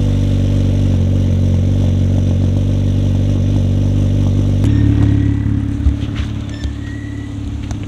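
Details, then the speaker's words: Built K24 in a 9th-gen Honda Civic Si, started on jack stands right after an oil change: catches and settles into a smooth, even idle with no knocks or ticks. Oil and fuel pressure look good, so it is a healthy idle. "well it sounds good going to check the oil pressure real quick oil pressure looking nice"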